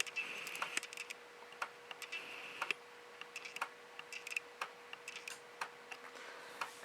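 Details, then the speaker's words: PowerBook 1400 floppy drive reading the inserted install disk while installing Mac OS 7.6; quiet irregular ticks and short buzzy head steps over faint steady whine; normal floppy drive seeking. "you can hear, the floppy drive, it's doing its thing."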